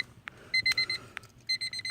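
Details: 1999 Honda Civic LX that won't crank and has also been overheating: short bursts of high, even dashboard beeps in groups of four with no cranking or engine sound; the chime and battery work, so the electrics have power but it won't crank.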